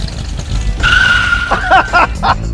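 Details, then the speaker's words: Cadillac first put in gear after sitting since 2009: it creeps along, then a steady squeal with chirps as the brakes lock and drag. Pads are suspected soaked with brake fluid. "There was nothing and then they locked up. I'm guessing that the pads are all soaked with brake fluid."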